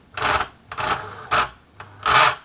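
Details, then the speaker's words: Singer 766 sewing machine, horizontal motor driving top shaft by toothed belt: four short rattling bursts when the handwheel is held back under load; toothed motor belt slipping, tension likely too loose. "can hear it that's the belt slipping it's a toothed belt so yeah I would say more likely that motive belt tension is too loose"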